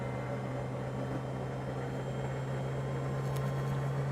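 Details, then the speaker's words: Maytag Neptune front-loader washer after its circuit board was repaired and the door lock wax motor was replaced with the new black-shaft one: steady high hum of a fast, even high-speed spin with no knocking or grinding. Owner calls it faster than the last spin; machine fixed. "you can hear the jet engine taking off I think this one's going to be faster than the last one oh yeah yep this one's definitely faster"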